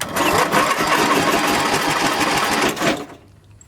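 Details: Engine on a nearly dead battery with the fuel feed valve shut off (owner suspects too much gas): sluggish, labored cranking at about three turns a second that fades without firing, like a tired battery dragging the starter.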